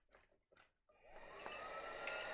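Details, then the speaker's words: Concept Air flip-up visor kit powered air unit with lithium-ion battery switched on: a couple of faint beeps as the PCB sets itself, then fan spins up to a smooth steady hum, normal startup. "couple of beeps is just the PCB actually setting itself okay"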